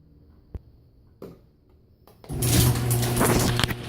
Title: Our garage door opening & closing, metal piece sliding making noise against chain & door jumping